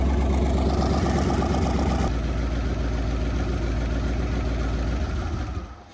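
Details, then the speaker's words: V8-swapped Toyota Corolla just fitted with Holley Sniper EFI, idling on first start: deep lumpy beat with small irregular pops and chirps; suspected ignition timing a few degrees off from set 15°, light backfiring, unconfirmed. "the timing is off so it's a little backfiring the system thinks it's at 15 but it's just a little off probably like a few degrees and that's why it's you getting a little chirps out here"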